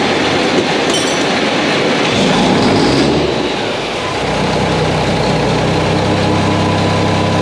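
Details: Mack truck diesel after engine reassembly with new parts, first start: rough, clattery start that settles after a few seconds into a steady, even idle with no knocking; sounds healthy, normal idle.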